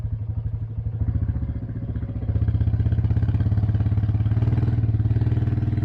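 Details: 1984 Honda 200 Big Red three-wheeler after about 25 years sitting, repaired: even single-cylinder putter catches and settles into steady regular idle with no knock or rattle; normal running.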